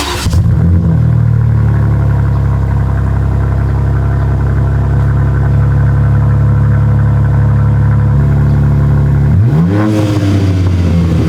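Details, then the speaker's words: BMW G80 M3 idling then a sharp rev blip right after installing an AWE Track exhaust with no tips, already resonator-deleted with a Dahlia H-pipe: loud, deep, steady and even; definitely louder but not as loud as expected; normal revving. "It's definitely louder. It's actually not as loud as I thought it would be."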